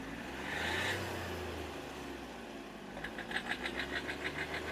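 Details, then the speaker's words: Hyundai Xcent diesel, warm, smoking, with slight blow-by: revs swell and fall back slowly with the rpm hanging after throttle, then a sharp ticking knock of about three beats a second as it settles. Injector or turbo problem suspected. "एक बार भाई accelerator देते ना हम तो RPM इसका फंस रहा है देखो"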